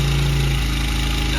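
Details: Honda CRF100F kids' dirt bike during restoration, idle screw being turned down after high idle: steady single-cylinder putter settling to a lower, even beat; healthy normal idle.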